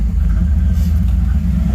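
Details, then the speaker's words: 1986 Camaro IROC at idle: deep lumpy rumble surging and dipping unevenly, near stalling; erratic idle, engine shut off to pull code 33, cause not yet known. "look and then wow that's erratic i'm gonna turn it off we'll pull that code"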